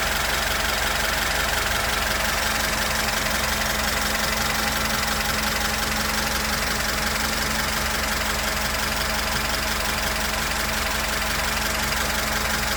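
Even, steady idle with a light regular valvetrain tick at about three per second and no misses; engine runs clean and healthy.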